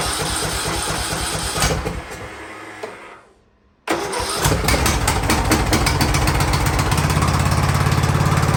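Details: Free Ariens riding lawnmower, sat at least two years, first start attempt indoors: cranks, stalls briefly, then catches into a steady, even putter that firms up; running normally.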